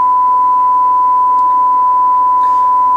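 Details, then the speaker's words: Cobra 21 LTD CB radio on test set during audio input alignment: steady harsh buzzy tone about 1 kHz, hard-clipped square-wave audio, modulation jumping from 70 to 100 percent; owner suspects a modulation fault, not confirmed. "hear that that's the square wave I can tell without putting on the skull I'm getting the square wave audio response - sounds horrible just jumps from 70 to pretty much to a hundred"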